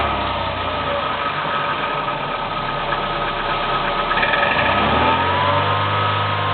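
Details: Kia Spectra 1.6 engine at cold idle: light, fairly regular tapping knock riding on the hum, settling lower as idle drops; cause unclear.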